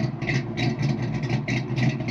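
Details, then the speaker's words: Fox-body Mustang cammed engine after MAF fix, TPS check and IAC reconnected: steady, slightly lopey idle at about 900 rpm, even with no hunting or stumbles; healthy idle. "I don't think I've heard this car idle this nicely and this consistently, ever."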